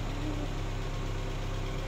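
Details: Chevrolet Aveo that would not start, now idling after its fuel pump assembly was repaired. The small petrol engine holds a steady low hum and even rhythm, with no knocks or misses.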